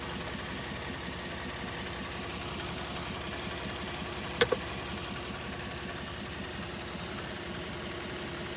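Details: 2013 Ford F-150 3.5 EcoBoost idling evenly with a light rapid ticking throughout and a sharp double snap mid-clip; strange noise heard by the intercooler, source unconfirmed.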